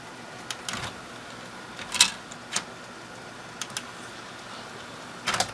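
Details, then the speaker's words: Thrift-store Sylvania DVD/VHS combo, DVD side: only a few soft, scattered clicks over a quiet hum as the disc spins up and the lens focuses, with almost no ticking; loads the disc normally. "actually i didn't hear as nearly as actually almost no ticking as you can hear as it's focusing the lens you can hear the the lens bottoming out or that was the tape and uh i didn't hear any of that it just kind of loaded the disc no problems"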